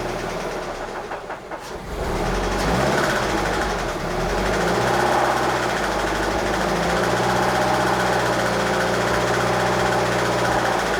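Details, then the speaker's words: Scion FR-S running after adding 0W-20 oil: heavy, regular knocking at idle, roughly four per second, loud slapping over the engine; spun rod bearing, rod knock. "I'm kind of scared. That's a lot of slapping. That's a lot of friction."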